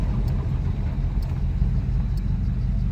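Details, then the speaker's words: 1984 Buick Regal rolling slowly on first drive after restoration: low rumble with a faint scrape or tick about once a second as the too-wide front tires rub the fenders; fenders to be rolled. "And you can hear that it scrapes. The front tires are a little bit too wide."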